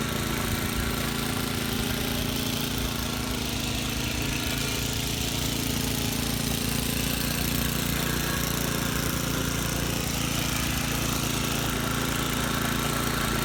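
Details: Vintage Cooper Klipper reel mower, cutting short grass. Steady single-cylinder chatter at constant speed, firing evenly with no misses or knocks; healthy under load. The reel needs sharpening and the bed knife needs adjusting.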